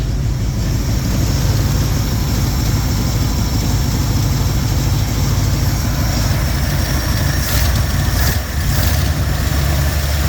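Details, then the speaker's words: Jeep J10 petrol engine idling after exhaust leak repair: steady, deep, even rumble with no more exhaust ticking; suction noise comes from the intake; engine still vibrates, less when warm or at slightly higher idle. "see there's no exhaust leaks anymore no more ticking the suction noise that you're hearing is just from the intake"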